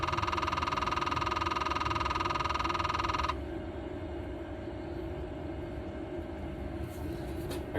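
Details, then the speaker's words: Jeep (being checked for death wobble): rapid even clicking at about four per second behind the dash, then stops; owner attributes it to the blend door actuator, again, and plans to replace it. "So, I'll be doing a blind door actuator, too, cuz I can't stand that noise. It's driving me nuts."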